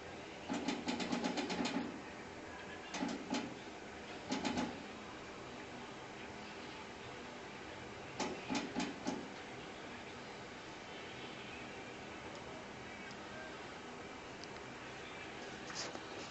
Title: Humidifer clicking noise